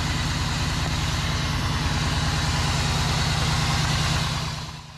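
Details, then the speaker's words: 2001 Cadillac DeVille first start after new starter, fuel injectors and intake gasket, primed by cycling the key: even starter cranking about three beats a second, then engine settles and note fades; healthy crank and start. "and new fuel injectors new intake gasket and a new starter so it's time to fire up"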